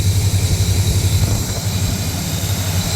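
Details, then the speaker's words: 1977–80 C3 Corvette, carbureted, with a new carburetor idle stop solenoid; the AC compressor loaded and bogged the engine before the solenoid, and now the deep, steady idle holds its speed with an even low throb while the compressor runs. "I turned on the AC it started to bog the motor then I flipped the throttle you can see our solenoid is doing its job now watch the compressor the compressor is on right now"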